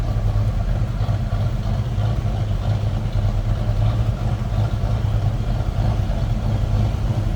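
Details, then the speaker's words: 1967 Ford Mustang convertible 289 V8 just after a cold start: deep steady burble with faint lope, no knocks or ticks, like a little cam; normal cold idle. "That was a cold start, so I wouldn't expect temp gauge to be up much. Listen to that. Sounds like a little cam to it almost."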